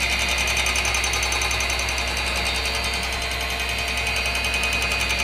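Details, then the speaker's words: Cooler Master RP-500-PCAR ATX12V 500 W power supply (without PFC), recorded close to the unit from boot: steady, fast, even ticking rattle three or four times a second over a constant fan whir, persisting throughout use; rattling PSU fan. "every time I boot up this power fan Supply this power supply right here keeps making this noise and it's driving me crazy"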